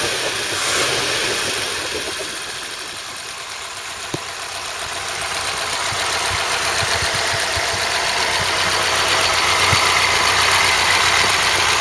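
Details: Ford Cortina Mk3 with newly rebuilt 2.0 Pinto engine on first test run: steady idle with an even, fast beat and no knocking or missing, some hiss and fan noise over it; normal idle.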